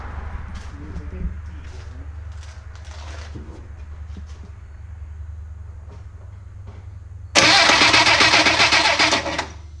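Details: 1963 Rambler Classic 660 that sat a long time: quiet hum, then about two seconds of loud, fast starter cranking that never catches; engine turns but has no ignition spark, points and condenser need cleaning.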